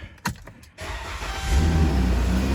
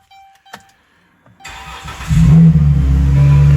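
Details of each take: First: After a few handling clicks, a smooth low idle hum with no harsh drone or rattle on a 2013 Chrysler Town and Country after an open end of the exhaust pipe was sealed; much quieter though not perfect, normal exhaust note. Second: Engine cranks, catches, then settles into a loud, deep, boomy drone at idle on a 2013 Chrysler Town and Country fleet van; the exhaust is leaking at an open resonator, exhaust leak drone.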